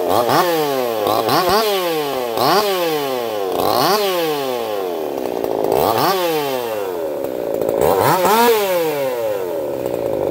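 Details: Echo CS-4910 chainsaw with experimental taper-top piston/crank swap, about 6 degrees advance, test cuts: high revs drop under each cut roughly every two seconds and climb back cleanly, no popping or stutter; runs a little warm, about 180 psi cold, 170 warm; healthy under load.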